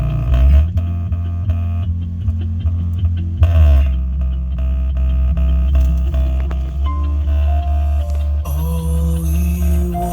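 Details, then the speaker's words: 2016 Mazda 6 GT Bose door speaker before repair: music rattles and crackles on the bass notes from a blown speaker. "so there's my speaker to give you a little before sound of what we're dealing with so you can hear this the speaker crack in here"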